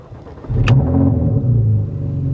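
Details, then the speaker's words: Porsche at 92,000 miles at a salvage auction: starter catches after a half second and the engine flares into a loud, boomy, rough, exotic-sounding exhaust note that doesn't sound great; cause unclear. "Oh, wow. Well, that's a exotic sounding exhaust, isn't it? That doesn't sound the greatest."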